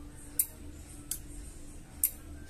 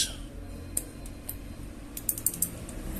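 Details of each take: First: Microwave oven after replacing a dried-out capacitor that had lost its value: three crisp single clicks from the door switch as the door opens over a faint hum, with no buzzing afterward; normal. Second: Samsung microwave keypad board with the door switch being tested: irregular rapid clicking and rattling from the small relay, which tries to engage but can't hold; a dried-out, weak supply capacitor is the cause.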